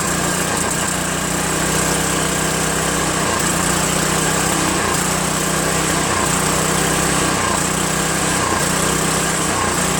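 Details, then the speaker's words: Craftsman 5.5 hp OHV 26-inch two-stage snowblower out of storage with fresh gas, after a quick carb bowl clean and linkage adjustment: engine speed rises and falls about every 1.5 seconds, steadily hunting; surging from faulty carburetor, later replaced. "put some gas in it and all, and it started surging quite a bit"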